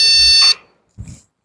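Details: PC that won't boot, only beeping, before opening the case: one shrill half-second electronic beep then a soft thump, startup warning traced to faulty RAM that was later replaced.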